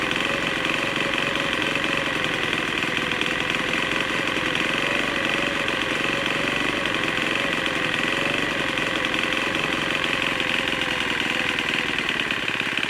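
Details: Troy-Bilt TB4HB EC four-stroke leaf blower, unstarted 4–5 years after being put away running poorly; just started on full choke after priming: high buzzing, wavering uneven note, running really rough. Air breather found loaded with oil via crankcase overflow tube; compression suspected leaking past rings.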